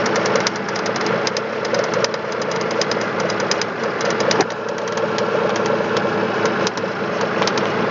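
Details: 2005 Chevrolet Spark 0.8 petrol (Matiz engine), cold idle in rain: fast light ticking steady with idle; owner suspects valves (not yet adjusted) or camshaft; timing belt and rollers replaced 5,000 km ago.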